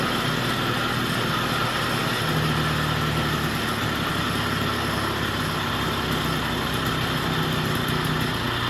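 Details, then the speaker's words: Vintage Jacobsen two-stroke greens reel mower, long unused, just revived with oil in cylinder and extra oil in fuel, old spark plug: steady idle with even buzzy exhaust note, off choke, no misses; normal running, governor still unsorted. "Now we got to figure out the governor and the choke. Sounds pretty good. See, we got it off choke."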